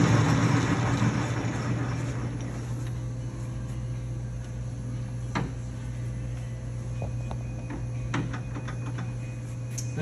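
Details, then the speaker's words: LeBlond Regal 13" x 30" engine lathe, headstock in mid-range at 256 RPM: steady, low, even hum with a few light clicks and no grinding. Normal gear mesh, not a ticking. "you can hear the headstock it's not a ticking it's more of a mesh as you can hear it"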